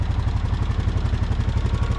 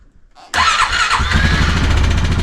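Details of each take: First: 2015 Honda Foreman 500 4x4 fuel-injected ATV at idle: quick light tick riding on a steady lumpy idle; owner wonders about injector or intake valve lifter, then, using a screwdriver stethoscope, thinks it's the injector ticking. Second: 2015 Honda Foreman 500 4x4 fuel-injected ATV, stripped oil drain plug case not yet fixed: fires up easily after a brief crank with a little buzzing and clicking, settling into a steady even idle; normal start.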